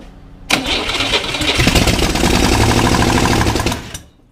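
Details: 1961 Corvair air-cooled engine on a bench, sat 20 years, partly refurbished: fires abruptly, runs loud and lumpy about three seconds, then stumbles and stops; rough running, apparently fuel-starved, not drawing from the fuel line, float bowls hand-filled.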